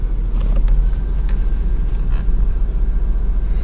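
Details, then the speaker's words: Power steering cold with the engine at idle, after adding Duralube transmission additive to cure cold sticking: held at full left lock, a steady quiet idle with no pump whine or groan. "now this camera picks up noise pretty good but I'll go all the way to the left you can listen you won't hear a damn thing this is ice-cold"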